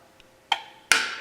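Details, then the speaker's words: Engine run stand gauge/switch panel with weak battery: two crisp clicks about half a second apart when power is switched off; the panel relay dropping out, normal. "and you can hear that click when i shut it off"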